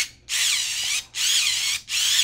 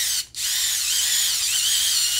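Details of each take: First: Electric screwdriver with a single 18650 cell, losing torque despite charging, stalled against fingers: four short high whines sagging in pitch; owner suspects a dying cell or a failed charging input diode. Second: it almost sounds about the same but it does feel a little bit stronger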